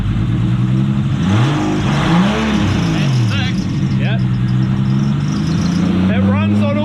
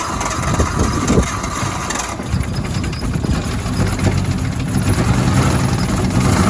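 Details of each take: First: Nissan Cefiro RB25DET after the coils, coil loom and igniter were plugged back in. It previously ran on only 5 cylinders because of one wire. Now a steady, even note with clean throttle blips and no miss: normal running on all six cylinders. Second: Nissan Cefiro RB25DET with a long-running misfire, after new spark plugs: uneven, stumbling idle with irregular dips in the pulses; one cylinder dead, later traced to a cut ignition coil wire, not the plugs.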